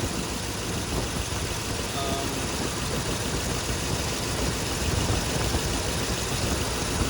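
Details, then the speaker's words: 2005 Ford F-150 4.6L V8 at idle, new spark plugs, original coils: rough uneven lumpy idle with stumble; one cylinder not firing, found by unplugging coils, oil found in that plug well, coil suspected. "one of these isn't firing."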